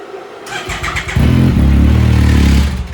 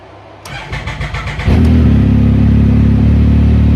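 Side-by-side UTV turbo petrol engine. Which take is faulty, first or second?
first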